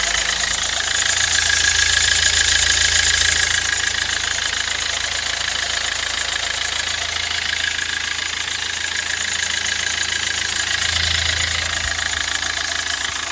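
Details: 2007 Kia Rio CRDi diesel, 270,000 km, idling with a fast, fairly even metallic rattle about twice a second over the clatter; owner suspects timing chain noise, unconfirmed.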